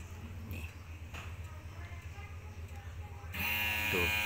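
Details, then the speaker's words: Toyota Avanza electric fuel pump switched on by scan tool, heard at the tank: faint hum, then a loud, steady high-pitched whine, louder than a good pump. Suspected worn internal gears giving weak pressure; pump to be replaced. "nyaring sangat nyaring [Musik] elektrik pump yang yang yang bagus dia punya bunyi tidak sekuat itu Jadi maksudnya motor nih dia masih berfungsi tapi motor tuh Mungkin dia punya gigi dalam mungkin sudah haus"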